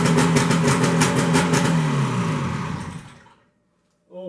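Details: 1973 Skiroule RT 440 two-stroke snowmobile, first start in unknown years with fuel squirted in: harsh very loud rapid rattle and bark about three pulses a second, dying away; exhaust pipe popped off, broken bolts and missing spring.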